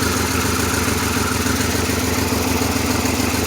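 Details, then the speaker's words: 1997 Pontiac Grand Prix GTP coupe, loud, steady idle with a slightly uneven, lumpy beat. It is still misfiring and shaking a little, with white smoke; the cause is not pinned down. "it is shaking a little bit not much"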